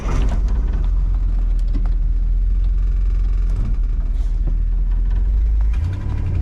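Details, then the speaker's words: 1962 Ford Galaxie V8 that sat over 20 years, driving on gravel with the coolant temp gauge not working: deep, steady rumble with no misses or knocks. Running pretty good, pulling smoothly. "still running yep mhm good running pretty good not going to lie"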